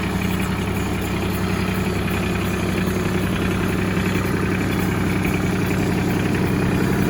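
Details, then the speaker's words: Ford 1720 4x4 farm tractor, 2,463 hours; steady diesel idle with a constant hum over the clatter from the power steering pump, which still works; power steering pump noise. "There is some power steering noise in the power steering pump. Uh, it does work, but I want you to be aware of that before you buy it."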